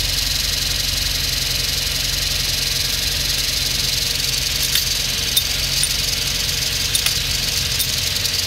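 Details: 2006 Hyundai Elantra at idle: steady hissing rattle with scattered irregular metallic ticks, hard to get into gear, clutch pedal vibration; clutch damper spring failed and separated from the clutch. Clutch damper spring failure.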